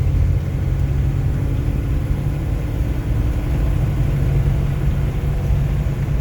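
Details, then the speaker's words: 1953 Buick Roadmaster Model 79R Woody wagon V8, on a 28°F day on bias-ply tires, cruising about 50 mph indicated (speedometer reads optimistic, actually ~53): deep, smooth, even rumble under road noise, quiet with plenty in reserve, no knocks or misses; normal cruise. "whisking along here about 50 miles an hour quiet and uncomfortable plenty more in reserve"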